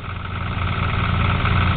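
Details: Toyota Supra with a used, roughly modified 7M engine, allegedly 30 over, just started: loud, rough idle with a deep knocking pulse from a rod knock; it also blows smoke from the oil cap hole.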